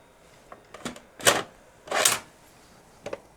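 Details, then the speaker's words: Toshiba RDXV50KF DVD/VCR/hard-disk combo, VHS deck after dusting with a brush: irregular clicks and short whirring bursts as the loading mechanism cycles and fails to take the tape; DVD section works, VHS slightly better after repeated insertions, cause not found. "the VHS section still has this problem but I put the tape in a couple of times and it seems to be a little bit better"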